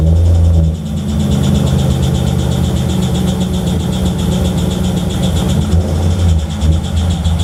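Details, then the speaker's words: Naturally aspirated C6 Corvette V8 idling with both belts off, uneven rhythmic knock and squawky chirp, seemingly mid-motor; rod bearing suspected, not confirmed, reportedly worsening. "so there you have it that's the noise it's pretty nasty squawk sound it's kind of a knock and a squawk all at the same time"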